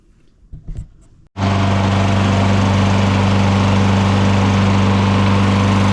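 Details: Lawn mower after ignition coil replacement, with the flywheel air gap reset and good compression: a few quiet pulls, then it catches and settles into a steady, even drone with no misses or surging; runs normally.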